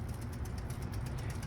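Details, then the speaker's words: 1953 home-built computerized Tic Tac Toe game made by two General Electric engineers, computer finishing its winning move: low steady motor hum with quick even clicks, about eight a second, as the mechanism rolls through its cycle and stops; normal. "the computer it finishes rolling around this thing and then it's just quit now"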